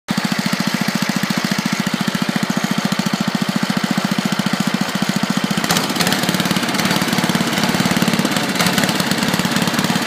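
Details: Tecumseh small single-cylinder engine popping fast and fairly even, then turning ragged with uneven beats partway through; misfire, cause unknown.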